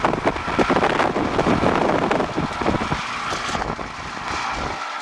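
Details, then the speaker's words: Aqua Comfort pool heat pump that won't heat water and sounds like a Mack truck: loud, rough, uneven roar with rattling bursts on startup; fan motor suspected as noise source. "look at that fan motor I'll disconnect the fan and see if that noise stops"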